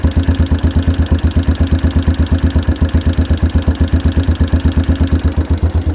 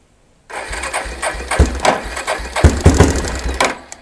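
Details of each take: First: 1992 Yamaha Big Bear ATV, sat outdoors a decade, first run on choke after revival, replaced carb mixture screw adjusted: steady single-cylinder thump near three beats a second, even and unbroken with no misses; idling fine. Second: 1992 Yamaha Big Bear ATV, sat on the ground about a decade; engine catches and putters unevenly for about three seconds, then fades and dies. Idle speed set too low; mixture screw set one turn out plus a quarter turn, idle adjusted up to fix.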